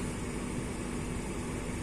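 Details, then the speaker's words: Renault Scénic II phase II heater blower tested after reassembly, previously dead: quiet, steady airy rush from the vents with no rattle, squeal or speed hunting. Fault was the failed blower resistor/control module, not the blower fan; fan now runs normally. "on va essayer la ventilation qui marchait plus, donc magie. Ah, ça c'est bon ça. Ah, on l'entend bien."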